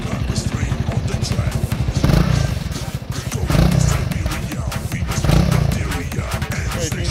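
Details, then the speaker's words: Honda CRF300L revving toward 6,000 rpm with a light tinny buzz on top, from the license plate vibrating through a gap against the rear fender. "hear a rattling sound, that is, the license plate is vibrating. So I went to check the license plate. Found a gap between the rear fender and the license plate It vibrates and makes noise"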